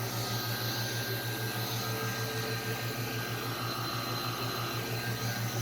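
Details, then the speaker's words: 24x24-inch PVC trim-board vacuum jig for a Shark HD510, joints sealed with CA glue: a steady pump roar with a fast pulse near three a second and a faint hiss of air leaking through the jig. "looks good and tight it's solid but uh definitely got a little bit of a leak in there so I'm trying to figure out what that is"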